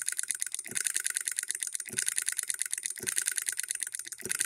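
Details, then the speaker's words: Hand-built solenoid hit-and-miss electric model engine with ball governor, on a 24-volt supply: fast light clicking with a soft thump about once a second as it fires then coasts; under load it hits every stroke; normal hit-and-miss running. "it is hitting and missing you guys can pick it up watch the balls isn't a whole lot of movement when we put it under a load watch it'll hit every stroke"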